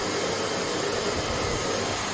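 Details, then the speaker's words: Hoover HL500PT vacuum after fix: steady, even rushing whoosh with no grinding, ticking or stalling; motor and brush roll running healthy. "on perect that so that shows it's working it's good to go"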